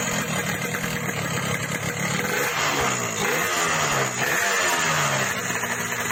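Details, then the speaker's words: Yamaha RX King two-stroke, owner's complaint that power is fine but the engine rattles: revving up and down with a harsh rattling clatter under the exhaust note; piston slap from excessive piston clearance. "Oke bro, ini keluhan ereking ini kalau untuk di spek tenaga bagus, cuman bunyi mesinnya aja ngeretak."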